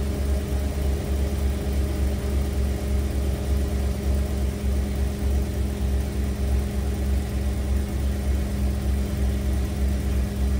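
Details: 1991 Ford Econoline E350 restarted after replacing the stuck dual-tank fuel selector valve: smooth, settled idle with a constant low hum and an even beat, no misses or surging; engine running properly.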